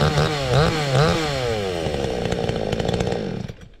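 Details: Cheap $129 62cc Garwinner Chinese chainsaw, compared against a Husqvarna 460 Rancher, cutting wood: pitch rises in short bursts, then sags and stays low instead of screaming up. It isn't reaching full revs; owner will tweak it later, cause unconfirmed.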